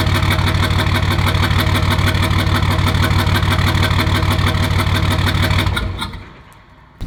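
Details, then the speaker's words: Truck started cold at about 24°F after sitting a week, still smoking from the exhaust: sharp metallic ticks about three per second over a rough idle until shut off. Metallic ticking at cold idle, a new noise with source not pinned down. "so i'm hoping the microphone on the camera picked up and let you guys hear that there's just a funny noise that wasn't there before it's kind of this like metallic ch"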